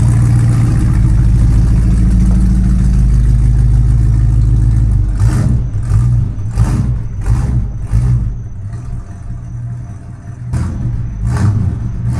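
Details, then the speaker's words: Big-block Mercury after DIY dual exhaust with 2.5-inch pipes from the manifolds back, Thrush glasspacks and turndowns: deep even V8 burble at idle, crisp clean throttle blips, louder than expected, running strong and healthy. "Woo! We got ourselves a hot rod now."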